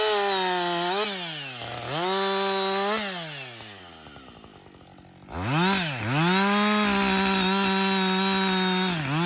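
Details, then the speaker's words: Husqvarna 562XP 60cc chainsaw, after the shop reflashed its software for dying when hot, hard starting and stumbling, bucking dead windfall with about two-thirds of a tank used: screams to full revs, bogs slightly as it bites and recovers cleanly, steady idle between cuts; normal running under load. "so far it's running great um I've got I'd say about I don't know two-thirds of a tank gone but listen this is real world practical use right 60cc saw bucking up some windfall some dead"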